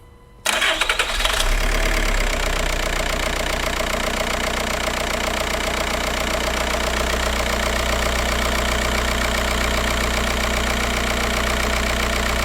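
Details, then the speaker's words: 2004 VW Jetta TDI BEW diesel after fuel filter replacement and priming, weak lift pump found; quick crank, fires at once into a steady, even idle clatter with no stumbles; healthy start and idle. "And now that I've done that, I'm going to go ahead and start it up. It may run rough for a little bit while it purges the rest of the air out of the system, so I don't want to rev it up."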